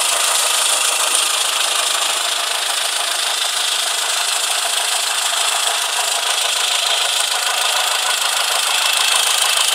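Sharp, regular tapping about three times a second over a thin idle, steady throughout; an engine knock, cause not pinned down.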